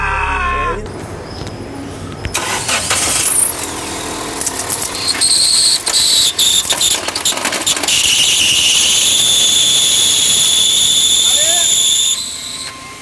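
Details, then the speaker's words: Jac J6 clutch screaming loudly, gears won't engage: loud metallic scraping then sustained piercing screech; release bearing and pressure plate likely disintegrated. "Rolamento, platô deve ter desintegrado no carro."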